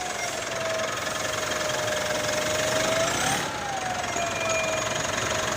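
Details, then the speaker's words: 2017 Mitsubishi Pajero Sport, 104,000 km diesel, stationary and revved, after new air filter: steady whistle rising and falling with revs from damaged turbo compressor blades; very loud outside. "Nah, ini mobil kondisi tidak jalan ya, posisi stasioner, kondisi digas. Ya, turbonya kisi-kisinya rusak teman-teman."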